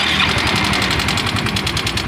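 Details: Yamaha Mio M3 scooter, rough-sounding and lacking power: fast sharp metallic ticking about eight per second over a harsh idle; mechanic suspects the cam chain.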